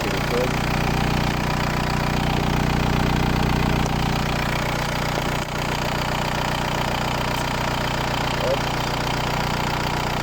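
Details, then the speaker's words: VW New Beetle TDI 90 ALH diesel, EGR deleted, NRJ Car tuning box turned fully up: uneven, stumbling idle with irregular knocks near 200 a minute, misfire from over-fuelling; backing the box off restores a stable idle. "Boîtier vissé à fond, vous entendez là le bruit. Donc on revient un petit peu en arrière jusqu'à que le ralentisse ou stabilise."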